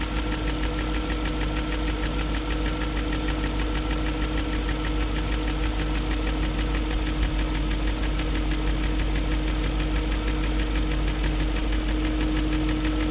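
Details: 2001 BMW E38 740i V8 idling after new timing chain, guides, tensioner and VANOS profile gaskets: light quick tick roughly three per second over steady idle; no codes; owner suspects VANOS unit, cause unconfirmed.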